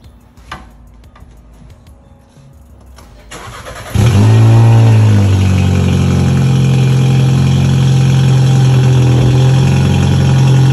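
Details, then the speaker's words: VW Passat 1.8T with JB4 tune, just fitted with CTS Turbo 3-inch downpipe, cold start in garage: engine fires, flares up, idle sags and lifts repeatedly with louder exhaust drone; cold-start rev hunting, cause unknown. "i'm getting this weird kind of uh up and down rev during cold start lately i don't know what that's about to look into that"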